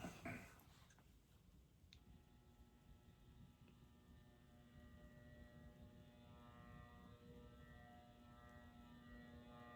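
Steady electrical hum with a buzzy, layered tone over a quiet room; the fan motor is humming loudly on its solid-state speed control.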